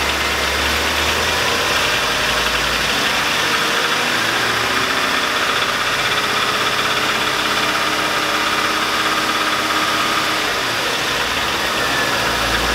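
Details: 2002 Chevy Avalanche 5.3L at idle: loud rough idle with an irregular bottom-end knock; smells rich, owner unsure whether piston slap, lifters or rod knock and wants a second opinion; cause unconfirmed.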